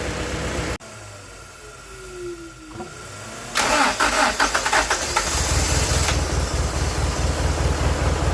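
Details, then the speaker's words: 1995 Honda Prelude 2.3 VTEC with stalling and extended crank, won't start without pressing accelerator: long rapid even cranking about four beats a second before barely catching; owner suspects worn engine, heavy blow-by, low compression, fouled plugs, not idle control. "it'll shut down while running and it'll have an extended crank and it can't crank and it it can crank but it can't start up on its own without pressing the accelerator pedal"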